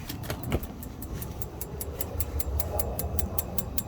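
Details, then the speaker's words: RV propane DSI water heater, switched on from inside with the door open in wind: a quick train of igniter ticks is followed by a whooshing burner roar. This is normal ignition. "you can hear the igniter clicking and boom we have ignition"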